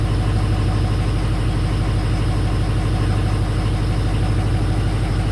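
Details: Ford 6.0 Powerstroke diesel that intermittently stalls and won't restart, fuel pump suspected: steady, even idle clatter, about three pulses a second, with no misses or stumbles; fuel pressure creeps up to about 65 as it runs.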